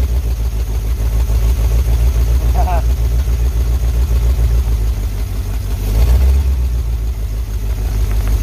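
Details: 1951 Pontiac Chieftain first start in revival, no radiator, electric fuel pump on 12 V boat battery, 6 V system: deep, loud, uneven chuffing idle, about three or four pulses a second, steady; typical of exhaust broken open ahead of muffler.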